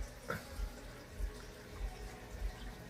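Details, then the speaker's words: Aquaclear filter on a 75-gallon green jade shrimp tank being remodeled after about a year, run to stir up loose debris toward the sponges; steady watery rush with soft low thumps about every 0.6 s, normal primed flow. "I'm hoping this aqua clear filter, when it gets to going, I'm hoping it'll stir up, make enough current that everything will get stirred up and sucked up to the sponges."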